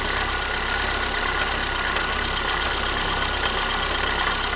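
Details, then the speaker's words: Lada Kalina idling: shrill chirping squeal about four times a second as the alternator belt rubs the flange of a misaligned tensioner pulley; fix by straightening the pulley and replacing the worn, fraying belt. "вот эту вот направляющую, то есть затяжной ролик, который направляет тем самым ремень к боку штифа, и тот создает такой звук. Его надо подправить, то есть выровнять прямо."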